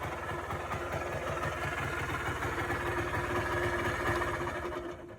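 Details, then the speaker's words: Polaris Trail Boss 250 4x4 ATV rescued from the scrap yard, idle screw turned up, started by pull start; buzzing fast idle with slightly uneven beat, keeps running on its own; idling normally. "All righty, guys. As you can hear, she's alive. She idles. This was all after pull start."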